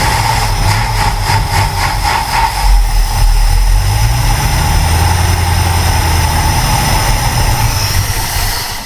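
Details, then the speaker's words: Ford Falcon Ranchero ("FalconStein") being revived: idle loping and sagging unevenly, revs dipping near stall; owner suspects a stuck carburetor float, carb had spewed fuel; new fuel pump confirmed working; carburetor kit rebuild planned. "So before it gets to that point, I'm going to see if I can't fix that. I'm sure that float's just stuck, but I can't imagine why."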